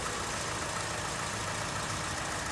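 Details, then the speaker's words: 2007–2011 Honda CR-V with an intermittent no-start, started via a factory shortcut by pushing a connection into a hole and hitting the switch; the engine then idles steadily and evenly with no knocks or misses. "Alright. Now you hear the engine start. So that is a shortcut to start the engine."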